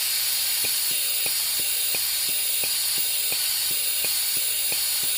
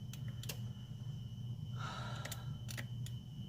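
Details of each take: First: 2010 Honda Pilot EVAP purge solenoid (spare used unit) bench-tested with air supplied and power pulsed: steady hiss with even clicking about 1.5 times a second, flowing consistently versus the original non-flowing solenoid, which is to be replaced; EVAP codes P145C/P0497/P0455/P0456. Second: 2010 Honda Pilot with EVAP codes (P145C, P0497, P0455, P0456); the engine-bay purge solenoid is unplugged and powered straight from the battery. It gives a few faint, thin ticks instead of a crisp snap, so the purge solenoid is faulty and not clicking properly.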